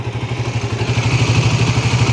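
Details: Suzuki GSX-R 150 after 6000+ km of touring: steady even idle with smooth regular pulse, no ticking or knocking; usual tensioner sound reduced, nothing strange heard; engine sounds healthy.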